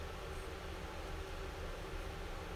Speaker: okay that's not the sound of a smooth bearing here's the sound of a smooth one